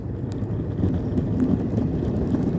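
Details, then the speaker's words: EOVAN GTS Pro electric skateboard riding on spare 95 mm polyurethane front wheels: smooth low rolling rumble with wind, no knock or click; earlier knocking traced to a defective original factory wheel, not bearings or debris. "no more noise no more knocking you know so um it looks like it's your wheel your original factory wheel one of them is defected"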